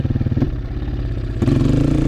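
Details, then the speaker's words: 2003 Honda CRF230F carbureted single-cylinder, riding: beat drops and labours when the throttle snaps open from idle to full, then picks up when eased back; lean bog from the carburettor pilot circuit. "It's just when you go from idle or just above idle to full throttle quickly, you whack open the throttle and then it might go."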